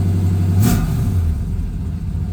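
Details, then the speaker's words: 1969 Camaro SS 350 V8, cold start with thermostatic choke on fast idle about 1,300 rpm: deep, steady idle, a quick throttle tap, then speed drops to normal idle or one step above, choke stepping down properly. "and you can hear it drop down so now we're kind of at the normal idle or maybe one step above that"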